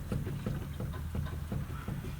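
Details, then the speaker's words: 20-year-old Ford Focus Ghia, driver's front wheel rocked by hand: dull low clunks about three a second, loose knocking from a worn lower (bottom) ball joint needing replacement. "and I didn't have to look too far see that bottom ball joint there we go it's knocking like hell"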